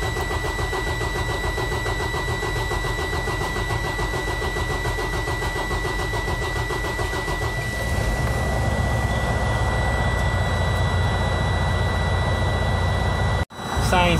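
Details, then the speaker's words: Freightliner Cascadia DD15 diesel idling after cam housing reassembly and timing setup. It settles into a steady, even clatter with a faint constant whistle and no irregular knocking. It sounds better than before and runs normally. "you can hear the engine it is better than before right"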